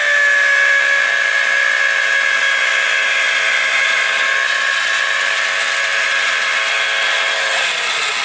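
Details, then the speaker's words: 12 V DC motor switched directly to 24 V supply; loud screaming high whine whose pitch slowly sags as it overheats; motor burns out completely from overvoltage. "देख सकते हैं आप जो है ये जलना शुरू कर दिया है दोस्तों तो ये देखिए पूरी तरह से जो है जल गया"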